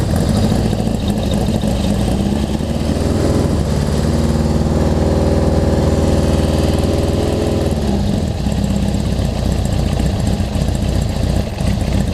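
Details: Honda CB750 four after a full engine and carb rebuild, pilot jet tuned on the stand, cold (about 50°F), no airbox: steady, even burble at idle with no knocks or misses, picking up briefly mid-clip; normal idle.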